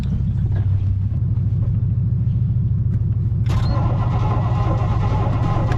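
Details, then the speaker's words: 1986 Baja Sunsport 190 boat, 350 Mercruiser Alpha One, in water at launch: steady low rumbling crank at about three pulses a second with no catch, then starter trips out. "all right well sounds like the starter just tripped too so get to try another day"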